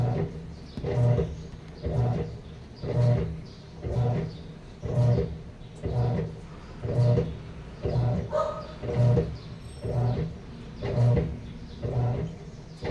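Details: Sharp automatic top-load washing machine, reported as not draining, tested before repair: low hum pulsing as the agitator reverses, no water sloshing; it runs dry, never filling.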